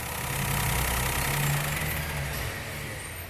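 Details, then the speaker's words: 2017 Peugeot 208 1.2 three-cylinder after repair with genuine parts, timing set and belt tensioned: steady, even idle with no ticking, whine or knock before shutdown; the front whine is eliminated. "Zerou, hein, pessoal? Eliminou o barulho. O zunido que tinha na frente aqui parou, tá?"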